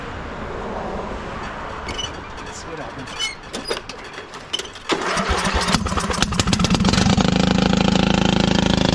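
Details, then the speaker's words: 1996 Craftsman LT1000 lawn tractor, first start after sitting, on a jump pack running on carb spray: cranks a few seconds, then runs loud and uneven with a raspy open-exhaust bark; rough running from a muffler later found cracked, head gasket first suspected. "about as long as I want to run that in its condition super loud you know it looks like the muffler's all there I wonder if we got a head gasket issue"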